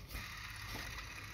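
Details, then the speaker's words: Mercedes engine, belt idler pulleys spinning: a quiet, steady dry whirr from two pulleys with worn bearings; water pump also starting to seize. "jedna rolka szumi. Druga rolka szumi. Słyszycie?"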